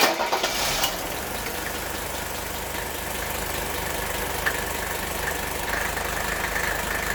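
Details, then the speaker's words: Mercedes W126 300SD diesel after radiator replacement, first start, cold: starter cranks briefly, then the engine catches and settles into a steady, even clatter at idle with no knocks or misses; normal cold idle. "all right we're going to let her heat up so we'll be right back"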